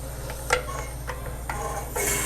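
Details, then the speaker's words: SCBA air-fill compressor filling bottles toward 4,500 psi: steady compressor hum, a few sharp clicks, then a sudden hiss as the cascade storage bottles switch over, a normal changeover. "and that noise right there that was it swapping the Cascade bottles"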